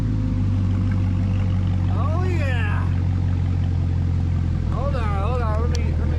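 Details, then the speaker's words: 2019 Camaro 1LE during rebuild, first heat cycle with coolant in; deep steady V8 rumble with loud rushing fan, possibly an air bubble, temperature not reading hot; runs smooth and healthy. "The temperature is not indicating that it's hot, but ooh, man, that sounds good."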